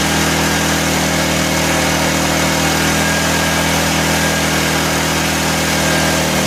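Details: 1984 Honda EM600 generator on a cold start: constant, high-revving drone with a busy firing buzz and no change in speed. Engine overspeed; the fine-tune adjuster knob did little, and a throttle issue is suspected, not confirmed.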